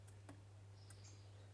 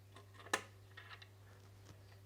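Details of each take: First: Wahoo Kickr trainer with cover off, turned by hand: a few sharp isolated clicks over a steady low hum; belt-wear powder found, owner suspects rubbing on the top lip when the tensioner is tightened. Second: Wahoo Kickr trainer that made a strange noise, after a clean out and a spacer washer added, belt thought to have been rubbing: steady low flywheel hum, only a few light stray clicks, no rubbing; running smoothly.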